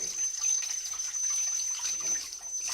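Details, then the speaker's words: Older Grohe Grohmix thermostatic mixer tap set near 38°C, water hot from an instantaneous boiler: thin, steady, very high whistle over running water; temperature stays correct, only the cartridge whistles. "il siffle mais l'eau elle est toujours à la bonne température il y a juste le problème du du sifflement"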